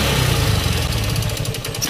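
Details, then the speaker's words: Honda CB Unicorn 160 single after a carburettor change (its piston pin had broken and the piston was also damaged), previously hard starting and misfiring: fairly even idle thump with clean blips and no stumbling; now idling properly. "कुछ तो आपने देखा दोस्तों बिल्कुल proper कम करने लगा"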